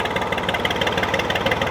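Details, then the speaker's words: Old Ford diesel tractor, unidentified model, idling after sitting about 10 years; a hose blew just before and it is thought to be in neutral. Steady beat but uneven, lumpy pulse, a cylinder or two not pulling; rough idle. "Let's go! I think it's in neutralysis. Doesn't run awful."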